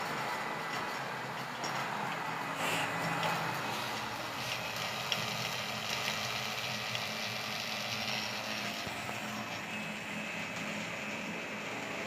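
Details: LG Dual Inverter air conditioner install, vacuum pump evacuating the lines before releasing R32 refrigerant, targeting about -30: a steady, smooth, even drone near the end of evacuation. Normal vacuum pump operation.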